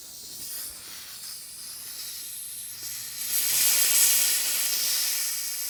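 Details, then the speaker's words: Workshop air compressor tank drain during service: hissing air and water spray surging and fading irregularly instead of flowing straight out as normal; owner suspects ice particles partly blocking it, not confirmed. "Well, that's like ice particles coming out. That scared me. So I reckon that's ice particles in there, because it's not just all coming straight out like it normally does."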